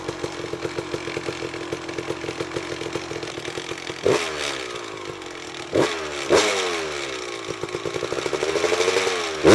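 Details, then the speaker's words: 1999 Kawasaki KX250 two-stroke on its first start after a full garage engine rebuild, premix set a little rich at 32:1 for break-in: a crisp, even popping idle with sharp throttle blips that rev cleanly and settle; it sounds good and healthy. "This thing runs, and it runs good as of now. I mean, it sounds good."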